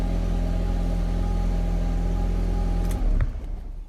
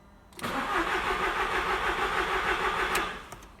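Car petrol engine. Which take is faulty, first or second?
second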